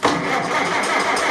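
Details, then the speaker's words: 12-volt Farmall Super C tractor that needs new spark plugs: starter grinds over sluggishly with a dull, strained churn and no firing. Slow cranking; battery suspected to be dying. "Yeah, battery sounds like it's dying. And no, it's definitely dying."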